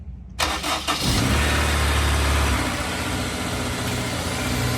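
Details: Honda S2000, about 55,000 miles, after fluid change and UK exhaust mod, cold start after sitting 6.5–7 hours checking for owner's start-up rattle; brief crank catches quickly, steady even idle, no rattle: healthy cold start.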